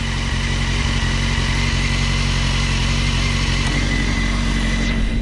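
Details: Honda Hornet 600 four-cylinder motorcycle after service and idle adjustment, clutch lever pulled: steady, even, smooth idle with no rustling, knocks or misses; healthy engine.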